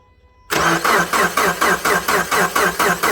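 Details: 2010 Subaru Forester 2.5 with a low-mileage JDM replacement engine, cold below -12°C and no codes: slow, labored cranking in even pulses that never fires; no spark from the coil. A new starter fixed the weak cranking.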